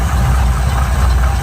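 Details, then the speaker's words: 1971 Chevy pickup with points ignition, power steering and power brakes; deep, steady low rumble with an even beat and no knocks or misses, an old V8 idling smoothly and healthy. "Runs nice and smooth."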